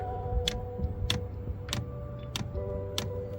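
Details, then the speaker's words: Chinese diesel night heater in a van, error E-8, air bubble in the fuel line: sharp, even dosing pump clicks about every 0.6 seconds over a low hum but no diesel arrives; pump ticking without fuel delivery. "comme vous l'entendez on a bien la pompe à gasoil qui se met en route mais pourquoi il y a pas de gasoil qui arrive et pourquoi il y a encore la bulle d'air"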